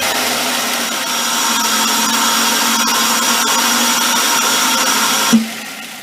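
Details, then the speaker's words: 2005 Ford Focus with a $30 aftermarket open air filter replacing the stock air cleaner: a steady airy hiss over a smooth idle, then a sharp shutoff; the normal intake noise of the unenclosed filter, nothing mechanical wrong. "It's got sort of a hissing sound. It sounds really good on wide open throttle on the road, but when you're idling, especially when you first start the engine, it's going to hiss."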